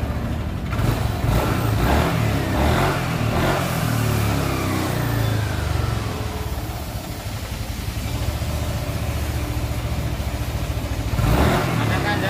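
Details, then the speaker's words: Yamaha NMAX scooter with new piston and connecting rod, still knocking: steady idle with an uneven clattery knock that comes and goes, sounding like a scored piston; mechanic suspects the flywheel magnet. "ini suaranya tuh kayak suara piston yang sudah baret ya Kok dengar atau tidak nih Nah ini saudara oke saudara kita langsung buka dulu ya ini kalau saya curiga sih magnet ya"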